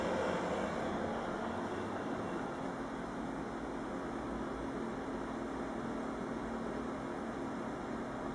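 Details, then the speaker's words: Building ventilation heard at night, 23:00, running at full power; constant heavy rushing air with a steady low hum underneath. "Вентиляция Спортлайфа работает на полную мощность."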